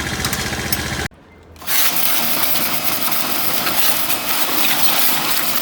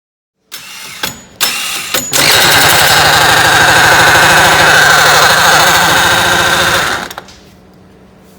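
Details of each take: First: Apache Alfa motorcycle at 764 km, whose sound changed after the kick-start was pressed while putting it on the centre stand with the engine running: after adjustment it drops out briefly, then catches and runs steadily and evenly, with no problem. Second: Apachi Alfa motorcycle: the owner pressed the kick-start while lifting the running bike onto its center stand, and the engine sound changed; it now runs harsh and rattly with the kick-start mechanism jammed.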